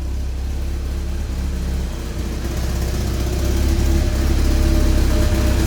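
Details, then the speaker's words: 1987 Porsche 944 S 16v running cold after the kinked fuel line and bad fuel pump were replaced: a low, steady idle that lifts slightly with no fuel-pump whine. The pump was loud before; it runs normally. "she's a little cold-blooded get out and check see how she's doing back here can't even hear the fuel pump now it was pretty loud before it's running all right it's cold"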